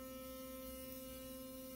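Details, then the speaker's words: Philips Sonicare FlexCare HX6920 (Costco set, equivalent HX6925), about a year old, working unit: strong, steady high buzz holding one pitch without stuttering, pulsating at a very fast rate; normal sonic vibration, unlike the defective brush that doesn't pulsate. "This one is pulsating at a very fast rate."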